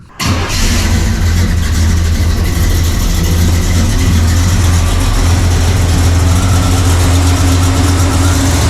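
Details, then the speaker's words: Warmed-up carbureted V8 (1968 Pontiac LeMans or Chevy C10) with vacuum gauge on manifold vacuum: starts into a loud, deep, slightly lumpy idle with a heavy low rumble, idling way too low. Ignition timing retarded and needs advancing. "Now it's running way too low right now. That basically means I need more timing."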